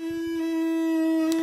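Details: Ibiza Standup212 active speaker on battery power: loud steady mid-pitched hum with buzzy overtones at constant level; the noise seems to vary when tapping the amplifier. On mains it crackles briefly at switch-on, then works normally.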